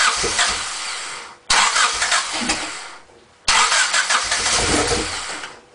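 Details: Honda Civic EX coupe that would not stay running: three long cranking bursts, each fading out without the engine catching; now cranks but won't start.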